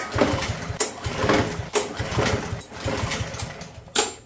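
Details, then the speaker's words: Yard Machines mower small engine: pull after pull, uneven coughs but it never catches because the choke lever was bent and not closing; after bending it back the choke works and it starts. "fail oh I never bet the freaking choke lever back lever bent back now we're actually getting choke action try again"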